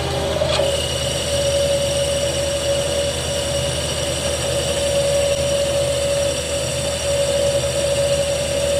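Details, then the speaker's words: Lathe boring a shaper nut: a steady piercing squeal holds at one pitch through the cut over the machine's hum; boring bar chatter, the bar sticking out about two and a half inches farther than necessary. "hear that chatter that ain't good"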